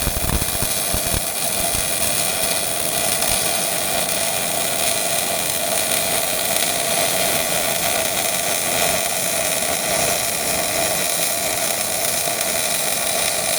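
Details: Miller-Matic 251 MIG welder at 21 volts, 366 wire speed, welding pipe fittings: even, constant frying crackle with no pops or sputtering; normal well-set arc.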